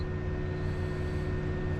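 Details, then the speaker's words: BMW N54 single-turbo car with misfires and BSD faults, during a scan: the electric cooling fan runs flat out as a steady rush of air, though the engine is not hot; owner wonders whether it is linked to the BSD faults. "you can hear the thermo fan is maxed out but the engine's not that hot not sure what the coolant is but i wonder if the thermofan ties in with this annoyance"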